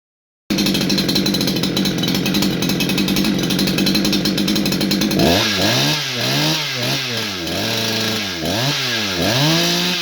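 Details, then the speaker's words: New Holzfforma G288 88cc chainsaw (Husqvarna 288 copy) with a 24" bar, after fixing an air leak from an improperly seated oil pump seal on the clutch side. It holds steady high revs with clean throttle blips and no stumble or bog. "as you can hear guys this whole saw runs quite nice had a bit of a rough start there was a small air leak due to improper seating on the automatic oiling pump on this side of the saw"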